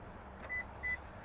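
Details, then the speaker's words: 2024–2026 Lexus GX 550 smart-key entry: hand placed in the driver's door-handle lock sensor gives two short high beeps in a quiet cabin, then the lock mechanism sounds and the lock pops up; normal unlock confirmation, driver's door only. "when you unlock from the driver's door handle just put your hand in you'll hear some beeps you'll also hear the lock mechanism and you'll see the physical lock pop up"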